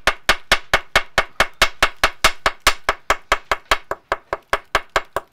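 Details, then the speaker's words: Maxi 84 sailboat hull survey with a pein-hammer: steady sharp taps, about two a second, along the keel end sound deadened where thick mastic covers the corroded hull-to-keel joint. "you can hear that there's a lot of mastic and stuff being chucked over behind your eyes"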